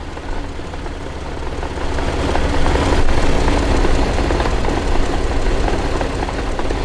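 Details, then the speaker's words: 2006 Jeep Wrangler TJ Rubicon, NSG370 six-speed, idling in sixth gear: steady drone with faint irregular knocking in the gearbox that grows the longer it runs; owner suspects output shaft bearings, not gears. "it just sounds like there's something like that hitting in there so i actually think it's bearings i don't think that's gears"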